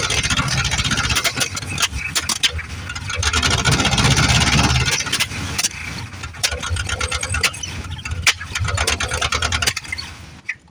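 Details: 1973 Plymouth Fury III with 360 V8 just installed after car sat engine-less 7 years, fresh start after priming carb: uneven popping and sputtering with hiss, barely running; owner suspects carb issues.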